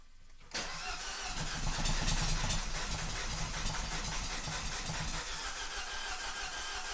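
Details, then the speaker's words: 2012 Mini Cooper S Countryman with several-cylinder misfire, before catalytic converter removal or declogging: catches after cranking but runs ragged and uneven, stumbling and not staying running; severe misfire, clogged cat suspected, unconfirmed. "Oh, it's not even going to stay running. Well, I might not even be able to start it."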